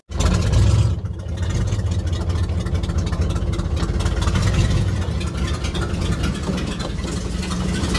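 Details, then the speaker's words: 1960 Chevrolet Impala V8 with points ignition, revived after sitting 32 years, carburetor already taken apart twice: deep, loping, uneven idle that shakes and nearly dies in gear but picks up with throttle; rough idle, cause not pinned down. "put it in gear dies it idle almost shakes a lot it's idling crappy"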